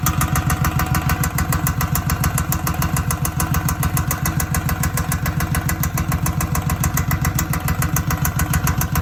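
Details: 2007 Suzuki Boulevard M109R at idle: a loud, fairly even knock about three and a half times a second from the right side of the engine. Source still unknown.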